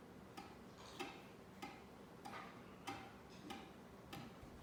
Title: Knocking sound from the ceiling fan